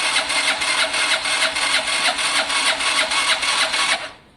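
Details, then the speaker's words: Gilera DNA scooter with fuel seen pouring from the carburettor: starter cranks steadily about three turns a second for four seconds, engine never fires; cranks but won't start, owner suspects no spark. "i don't think there's any spark literally [Music] i don't think there's any spark"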